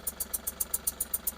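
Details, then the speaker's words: Ashok Leyland Bada Dost LS diesel at idle, complaint of heavy noise and poor pickup: sharp hissing tick about seven per second as gas leaks past the worn sealing washer of the second of three injectors. "இன்ஜட்டர் washer போயிட்டு case வந்து வெளிய league ஆகுறதால sound ஹெவியா இருக்கு."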